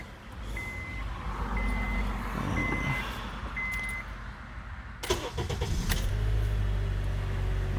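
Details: 2010 Honda Accord 4-cylinder, start right after oil and filter change to check for leaks; four dash chimes, short crank, clean catch into smooth steady idle, normal start.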